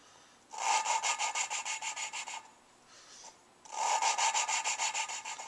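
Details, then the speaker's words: Lapping a new valve into the cylinder head of a Suzuki Sidekick engine during a rebuild, with a suction-cup tool and light pressure. Two bursts of fast back-and-forth rasping, still harsh and scratchy at the start of each stroke, so the valve is not yet seated. "to keep doing this until that first like loud grinding scratching sound completely goes away the way that sounds right there is the way it should sound when I start every time I pick it up"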